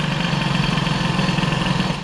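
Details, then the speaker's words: Peugeot 103 moped, air-cooled Airsal 65 hybrid with reused rebalanced Doppler crankshaft; flat buzzy drone stuck at one pitch under full throttle, variator not opening; carburation badly off, engine won't rev. "la carburation ça a pas l'air d'aller du tout parce que là quand j'ai mis le gaz là le truc qui prend même pas de tour"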